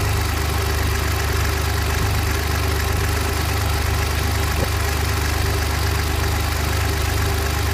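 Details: Engine started in neutral, then clutch pedal pressed, then released in neutral with small throttle blips, then back to idle: even low idle drone with a faint repeating tap about four times a second. Abnormal engine noise, source not identified.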